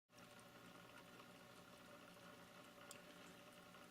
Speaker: this is my aquac clear 30 power filter um right out of the box unaltered and you can hear the rattling of the impeller uh against the shaft